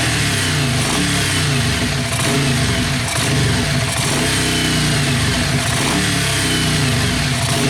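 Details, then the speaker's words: Yamaha Virago XV500 V-twin café racer with a newly mounted SU carburettor and ram pipe, mic near the ram pipe: loud uneven idle beat with crisp blips up and back down, strong close intake roar; running healthy. "Right, guys, I put you over here closer to the my ram pipe, so maybe you can the camera can pick up better the induction noise, because it's fucking orgasmic."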